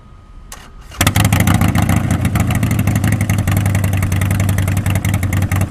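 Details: 2014-up Harley-Davidson Sportster just fitted with a Stage 1 kit and Power Vision flash: starter cranks briefly, then the V-twin catches with a loud, even lumpy beat and clean revs; normal healthy start.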